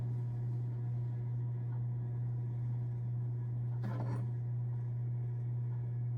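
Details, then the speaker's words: Home Essentials 42-inch ceiling fan on low speed: steady low motor hum under a faint even whoosh, no rattle or ticking; slight hum is audible but normal. "I mean, you can hear the motor hum, but it's so little that it personally would not bother me. I know that the motor hum is very annoying to some people, but it personally doesn't bother me."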